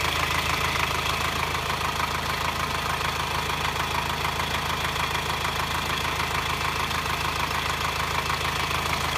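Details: 2009 Subaru Forester diesel, idling hot: sharp metallic clatter about three times a second, heard only when hot at low rpm and on acceleration, worse in hot weather, silent cold; no smoke, runs fine, five mechanics found no cause.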